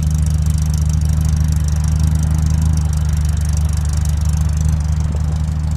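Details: 1965 Morris Minor four-cylinder after owner rebuild (stripped engine, valves ground in, new gaskets, gearbox, clutch, mounts): low even burble at steady idle, firing regularly with no knocks or misses; runs sweet.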